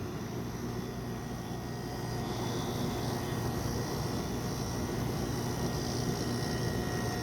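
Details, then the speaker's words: Repaired Nesla HX 75 chiller in cool mode with its pump filter cleaned: steady, even hum of the compressor and circulating refrigerant, no knocks or surges; running normally. "you can actually hear the compressor working and refrigerant moving around"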